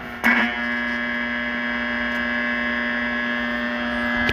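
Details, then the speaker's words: 1941 Crosley 52TA tube AM radio with antenna wire, possibly running on low voltage (dial bulb barely lit): steady low buzz with thin overtone comes on with a click when room lights switched on; lighting interference, radio very insensitive. "that's nice and noisy I don't know if it running on low voltage has anything to do with it"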